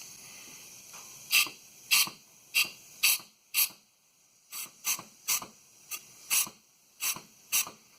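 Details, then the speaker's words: 2002 Chevy S-10 ZR2 that won't take gas or fills slowly, shutting off the pump: sharp hissing pops in uneven bursts as air is blown into the filler; owner suspects the vent valve spring is too stiff. "I definitely can hear it. So I just think that valve is, the spring's too tough on it or something, because it works."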